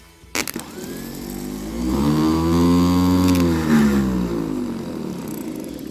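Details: Starter motor from Leyland/Austin/BMC FG COE truck, bench-tested on power after being spun by hand: whirs up to a rising hum, holds smooth even speed, winds down freely with no grinding; spins normally.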